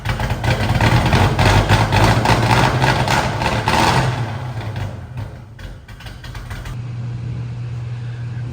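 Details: "Turdzilla" starting after triple-pump DW fuel system install, injector data tune, fuel pressure set near 40 psi: fires and settles into loud lumpy idle about four pulses a second, no misses; runs normally.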